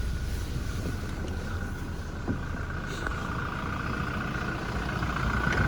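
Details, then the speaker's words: 2017 Toyota Hilux 2.4 D4-D diesel club cab, 6-speed manual, 42,970 miles, bonnet open; steady, even diesel clatter at idle with low rumble, no knocks or misses: engine ticks over nicely, normal idle. "And then obviously opens up under the bonnet. You can hear it ticking over nicely."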